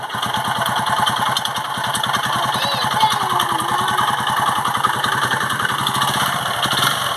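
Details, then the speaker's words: Eco Deluxe motorcycle engine at idle: rapid, even thumping with a hard, rattly edge on every beat. Connecting rod and crankshaft bearing knock; engine to be torn down. "Sonido de biela, balinera de cigüeñal."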